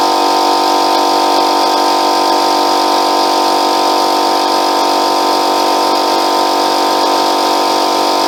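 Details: Free Ford air compressor after a gasket replacement: loud rush of escaping air over a fast chug as the relief valve blows off at full pressure; relief valve venting at full pressure.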